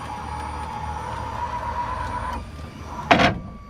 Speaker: On right over here, you press open or close, open, and that'll retract the door and the ramp will come out.